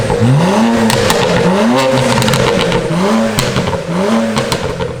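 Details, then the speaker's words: BMW 335i with the N54 turbo engine, downpipes and an MHD stage one tune, pop-and-crackle slider set to about 3/4; three quick revs, with sharp crackles and pops firing on each lift-off. The exhaust tune is working as set. "There's like a slider in the tune which allows you to customize how much you want the car to pop and crackle. We've set it to like about 3/4."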